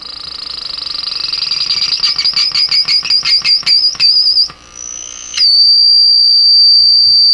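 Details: Deforest 10DA517 AM radio powered through a light-bulb tester: a high warbling squeal pulsing about three times a second settles into a loud continuous howl; the audio stage is oscillating and the source is still unknown.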